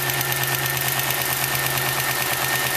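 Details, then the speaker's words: Chevrolet Lumina with a freshly swapped petrol engine, idling from a cold start with a fast, light ticking on top. The lifter noise comes from oil not yet fully circulated and was fading as it warmed; there is no piston slap. "all right you hear a little bit of lifter noise we have to wait for the oil to fully circulate throughout the engine but there's no piston slap so that's what I'm happy"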